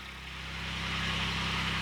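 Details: Kubota D722 diesel swapped into Saturn SC1 coupe, first start on jack stands, warming toward thermostat opening: steady even diesel clatter with low constant hum firming slightly over two seconds, no misses; normal diesel idle.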